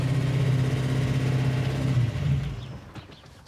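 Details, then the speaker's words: Hemi engine in Gremlin; fast steady drone around 2,000 rpm idle, then dies away; no throttle return spring and massive vacuum leak, plus a noisy lifter; high idle. "okay well we've already got a bummer it's idling a 2,000 RPM it's got no throtle return spring massive vacuum leak"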